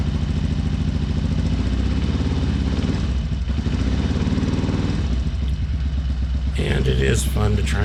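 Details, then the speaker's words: 2007 Sportster 1200 V-twin: lumpy, uneven loping idle with gaps, only one cylinder running; stethoscope on injectors shows the front cylinder's fuel injector dead, confirmed on scope. "let's fire this up and definitely one cylinder only running"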